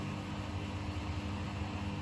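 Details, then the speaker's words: Bosch Serie 4 washing machine, new, end of the final 1,400 rpm spin after about four minutes, cycle finishing: steady low drum hum easing down smoothly, no knocking or scraping. Normal spin wind-down. "a minute to go just wandering down from this last final 1,400 rpm the spin she's been going for about probably about 4 minutes cycle we'll be finishing very very shortly now"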